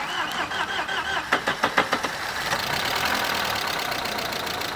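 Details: 1997 Opel Vectra 2.0 16V after head gasket replacement, fresh 10W-40 oil and new air filter: starter cranks, then fast light ticking over idle; mechanic says hydraulic lifters need to fill with oil, to recheck next day.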